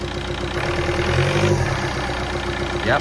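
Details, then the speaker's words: Golf rebuilt with new camshaft, lifters and timing belt, run for the first time with no coolant added yet: steady, even idle hum with no knock or tick; the earlier awful knocking noise is gone. "It seems to run okay. By the way, this Jubilee clip is temporary. I will get that sorted. Let's see if the awful knocking noise is gone."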